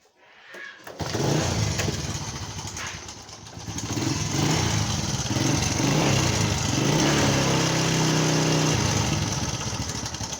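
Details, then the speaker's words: Customer's motorcycle brought in for engine noise; engine oil checked and found very low. At idle a constant clattery rattle rides over the exhaust: timing chain, valve and rocker noise because no oil is lubricating the engine. "อ่าเพื่อนๆจะได้ยินเสียงโซ่ราวลิ้นนะครับเสียงโซ่ราวลิ้นเสียงวาวเสียงก้านเสียงอะไรต่างๆอยู่ในห้องเครื่องนะครับเพราะว่าดูแล้วไม่มีน้ำมันเครื่องเข้าไปหล่อเลี้ยงเครื่องยนต์นะครับ"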